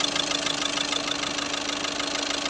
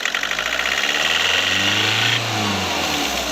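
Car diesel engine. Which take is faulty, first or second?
first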